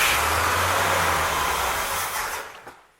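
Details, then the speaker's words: 1964 Pontiac 389 V8, freshly rebuilt, first start: revs hold briefly after throttle, then sag and fade as the engine stalls, starved of fuel because the electric fuel pump wasn't turned on. "i don't know what that is oh i do know what it is you didn't turn the fuel pump on you big dummy"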